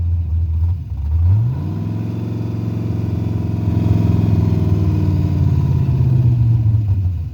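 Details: Carbureted 5.3 LS swap in a Mustang with MSD ignition: brief crank, catches and climbs to a shaky idle for a few seconds, then sags and dies; starts then stalls, owner unsure whether carburetor, timing or vacuum leak.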